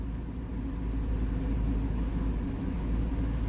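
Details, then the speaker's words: 1978 Mercury Marquis Brougham, 400 V8, after new fuel pump and filter, warmed up: deep, even low rumble with no misses or stumbles, settled from earlier roughness into a smooth, steady idle. "it's coming out of its roughness it's pretty smooth right now"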